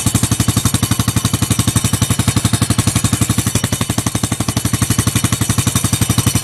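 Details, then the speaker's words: Chinese 125cc Baja Dirt Runner dirt bike after the restored exhaust pipe was refitted and realigned; fast, even metallic chatter about three beats a second over the engine; a rattle of unknown source. "Much better. What's that rattling noise?"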